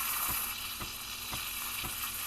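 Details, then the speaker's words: Breville Barista Express steam wand steaming whole milk: steady, even hiss with faint soft pulses, wand tip just below the milk surface aerating properly; the normal sound wanted throughout steaming. "you hear that like sort of hissing sound that's what you want the whole time"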